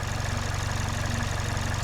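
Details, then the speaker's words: Engine idling in park about 10 minutes after replacing cheap, supposedly Denso injectors with the correct fuel injectors: low steady idle around 800 rpm, even pulse, no ticking or stumble; lower than it ever idled before. "Sitting at about 800 RPMs, which is lower than it ever was idling before while in park."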